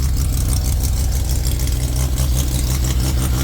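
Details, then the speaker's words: Turbo Mazda RX-7 rotary engine at first startup after install, 2,000 rpm idle, oil pressure 72: faint, rapid puffing tick from exhaust leaking at open EGT probe ports awaiting probes. "right got a little bit of exhaust leak where the EGT probes are going to go got to put those [Music] in"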